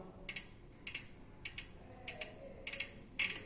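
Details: Novatec D042SB rear hub spun back by hand after the freehub machining defect was fixed, no longer locking: short bursts of crisp, even ticking with no catching or grinding. The pawls sound healthy.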